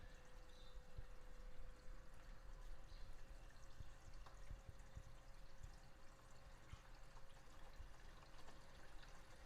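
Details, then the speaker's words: Reef tank overflow drain after adding an air-control valve, valve partially open: stops fill-and-flush cycling; soft steady trickle with faint hum and occasional small gurgles as air gets sucked in, not too bad; quiet drain flow. "I have it partially open right now, and it does stop it from filling with water up to a certain point and then kind of flushing everything. But with the water going through like that, at times some air gets sucked in and you still hear a little gurgling, but it's not too bad."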